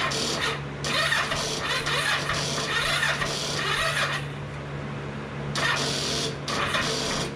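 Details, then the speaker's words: 2005 Kawasaki Ninja 500R that sat 10 years, carbs rebuilt, choke on, jump pack without a battery fitted: slow, uneven cranking in bursts about one turn per second, never catching; weak cranking from insufficient battery. "Yeah, that battery's not going to be strong enough to do what we need it to do."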